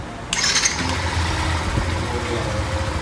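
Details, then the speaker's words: Yamaha Factor/Fazer/Crosser 150 after replacing the worn starter motor (damaged armature ends, bearing play caused roaring starter noise): cranks and fires quickly into a steady low idle with no grinding; starter noise gone, normal start. "Já fiz a substituição do motor de partida. Da partida nela aqui, vocês vão ver a diferença do barulho. Zerou."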